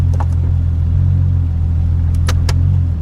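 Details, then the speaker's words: Salvage auction automatic car with hood scoop, possibly Flowmaster or MagnaFlow muffler, in gear at idle: deep steady low rumble with even beat, light clicking from blend door; engine sounds healthy. "It goes right into gear. And that exhaust note is nice. That sounds real good."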